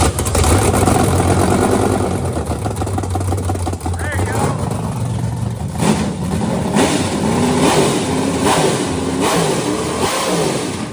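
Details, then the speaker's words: Carbureted, supercharged engine, blower pulley 35, free revving hard through several blips into the rev limiter (chip set at 6,800 rpm; motor makes power to about 8,600), bouncing in short repeated cuts near the top. "What's the chip set at? Any idea? Is that 7600 we probably just heard? Well, when everyone's like, "Oh, you're out of gear." It was set at 6,800."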